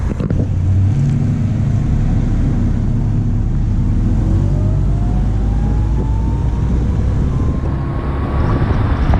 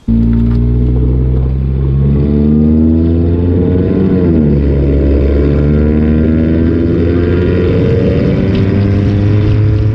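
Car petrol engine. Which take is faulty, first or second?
second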